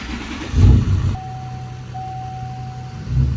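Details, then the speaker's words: 450,000-mile Duramax diesel dually truck at idle: thin high buzz from the audio tweeters that follows rpm and the alternator; owner suspects a corroded amplifier ground and plans to clean it. "this truck has a buzzing noise that matches the RPMs I thought it was this but it's not it's the tweeters so it's the audio system basically"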